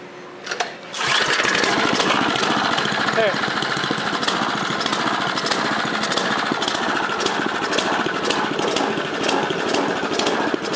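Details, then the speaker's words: Craftsman snowblower, first cold start of the season with light black smoke: small engine chugs unevenly, lumpy irregular firing with loud popping; rough cold running, expected to smooth out as it warms. "That sounds horrible. Expect it to run like this for a little bit."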